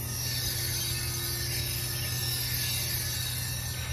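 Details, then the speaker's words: 2017 Honda Civic driver-side rear wheel: a steady thin metallic squeal and hiss over a low rumble persists with the wheel off, coming from unevenly worn brake pads. A stuck caliper pin wore the inner pad faster and cut fuel economy by 5 mpg. "so I removed there wheel and still making the sound and the sound seems to be coming from the brake pads"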